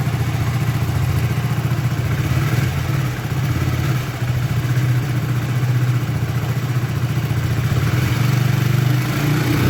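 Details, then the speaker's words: Hero HF Deluxe BS6 single-cylinder bike with a starting problem, after the fuel pipe was refitted and fuel pressure restored: ticks over at a steady low idle, no misfire or stumbling, just a quiet pulse; normal idle after the fix. "Okay friends బండి అయితే start చేసినాం start అయితే అయిపోయింది బండి high dealing ఉంది"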